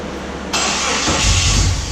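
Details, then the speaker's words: Project engine started with fuel primed and the kill switch on: the starter whirs, then it catches and settles into a deep, throbbing idle whose lumpy character comes from the camshaft. It starts normally. "listen to that cam sing Wow cam doesn't actually sing it just changes the Eidolon characteristics of that timing"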